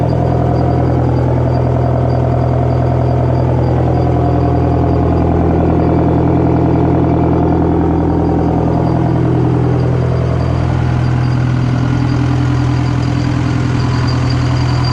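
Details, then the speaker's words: Detroit 4-53TIB diesel, rebuilt to Silver Series, warming after cold start at -7 °C with Webasto preheat, oil temp 28 °F: steady fast even diesel chatter with no misses or knocks; healthy brief idle. "I don't idle it much this is basically all I idle in and I go"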